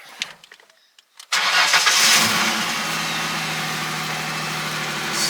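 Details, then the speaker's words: 2002 Ford Mustang after fuel pump replacement via partial tank drop: a couple of clicks, cranks, catches quickly and settles into a steady, even idle; clean healthy start, fuel gauge now reads. "And now, my Mustang, the fuel level reads, and it runs perfectly fine."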